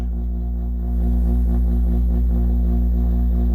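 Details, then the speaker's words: Chevrolet camper AC, first test after towing; deep steady hum that steps louder as compressor kicks in but no fan airflow; squirrel cage blower fan seized, barely moves by hand. "no way making a lot of noise not blowing any air"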